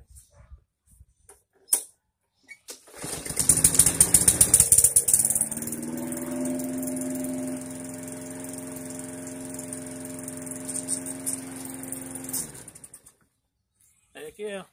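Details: Briggs & Stratton 450e series mower that ran then died, after carburetor replacement: restarts on first pull without priming, smooth steady idle until shut off; starts and runs normally.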